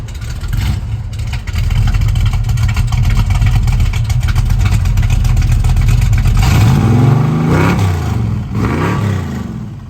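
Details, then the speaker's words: 1970 Chevrolet Nova SS, 396 V8 with automatic transmission, starting and idling: a deep lumpy big-block burble with clean sharp rises and falls on throttle blips. Strong, healthy V8 revving. "If there's a better sound than that, I'd like to hear it, because that's a pretty awesome one there."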